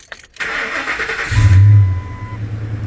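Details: 2006 Ford F-150 V8 after replacing the cylinder 3 coil pack for code P0303 and clearing codes. Brief crank, then it catches cleanly and settles into a smooth, even idle with no stumble; no check engine light. Normal start and idle.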